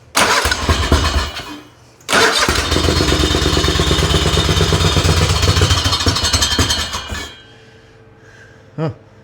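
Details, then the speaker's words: Race tractor engine on its second run, belt lying on the exhaust: starts on the second try, then a loud lopey, choppy big-cam idle with even firing; sounds healthy, though a pulley rub shows up afterwards. "So, let's give her another one. She sounds pretty cammy. She sounds pretty healthy,"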